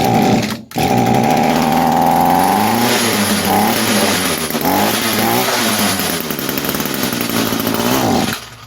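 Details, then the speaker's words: 22-year-old Echo string trimmer that sat for years, with a wet plug, started on fuel poured in: it catches and buzzes at high revs for several seconds, then dies away. "All I want to do is just hear it pop off a few times. It's not going to run, obviously, but I want to hear it go kind of before we start pulling things off of it and getting into it."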